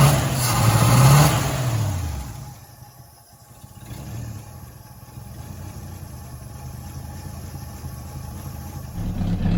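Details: 1970 Pontiac Tempest just revived with a temporary rigged fuel line and hot-wired coil: brief blip then low, uneven, lumpy idle that wanders and stumbles, not the smoothest but running; rough idle from retarded ignition timing.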